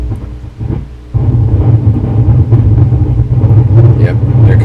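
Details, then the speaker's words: 1963 Fender Deluxe transition-model tube amp, brought up current-limited on a variac: steady front-end hum from a leaky filter cap with sporadic crackles and thunder-like rumbling bursts; noisy original ceramic cap in the phase inverter arcing. "uh that ceramic cap that was original was very noisy that was part of the arcing we had as part of this thunderstorm"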